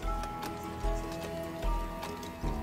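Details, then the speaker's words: Boulle-work clock silent for over 15 years, after repair with the pendulum rehung: steady, even ticks about every 0.8 seconds, around 75 a minute, under background music; the pendulum is beating evenly and the movement is healthy. "I'm going to just hang the pendulum on see if it's ticking nice and evenly perfect pendulum will actually regulate the speed of the tick"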